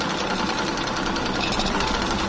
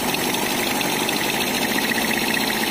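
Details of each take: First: Kawasaki Blitz motorcycle bought running rough with white smoke: fast, coarse rattling clatter over the whole engine, said to sound like a shipwreck; engine had run out of oil, wearing the piston and connecting rod. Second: Kawasaki Blitz motorcycle after rebuild: steady, even single-cylinder idle with a light fast ticking, said to come from the air filter, and no knock; engine healthy.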